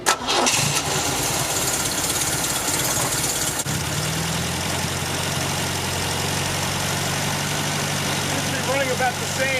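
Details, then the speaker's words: 1974 MGB with a fully rebuilt engine, after new spark plug wires and with the air filter fitted: a short start-up settles into a steady, even low idle with no misses or knocks. It runs almost perfectly, not yet tested under load. "so guys i am so pumped that this thing is finally running almost perfect"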